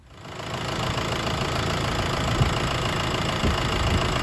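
Steady, even diesel rumble with no knocks or misses standing out; the engine settles into a smooth, healthy idle.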